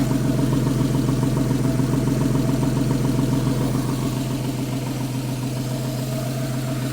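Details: Porsche 911 after replacing the belt tensioner and serpentine belt: smooth, even idle with a steady low hum and no chirp or squeal from the belt or pulleys. Normal idle.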